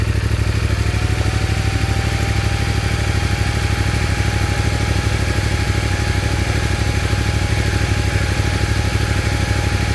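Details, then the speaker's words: CFMOTO Ibex 450 single after TEAM MSC ECU tune, which fixed surging and jerking at 3,500–5,500 rpm, riding: steady single-cylinder thrum at constant cruise with no surging; much smoother throttle hold. "Well, that's definitely a lot smoother. Hold it steady in the bike."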